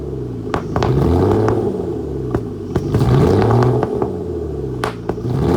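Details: Flood-damaged Aston Martin DB9 V12 just after start-up, with lots of smoke. A lumpy, uneven rumble broken by sharp irregular pops and chuffs. Misfiring badly and running rough.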